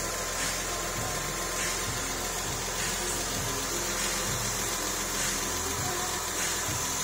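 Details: Porsche 996 3.4 L, automatic gearbox, first start after engine reinstalled following major work, being run up to temperature: steady, even smooth idle hum, no knocks or misses; no engine light, oil pressure present, oil stains may smoke. Normal idle.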